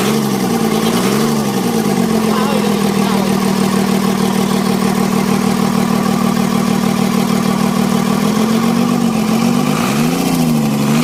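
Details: Mitsubishi 6D17 diesel after plunger replacement for hard starting: even idle with a steady drone that swells smoothly on two brief revs and settles without stumbling, running healthy.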